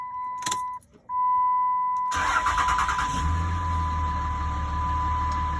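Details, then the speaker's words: 3rd gen Dodge Ram, near-stock with Edge CTS: door chime beeps, short crank catches cleanly and settles into a quiet steady idle with no rattles or knocks; normal, very quiet startup. "It is pretty pitiful, about as stock as it can get. Not loud at all."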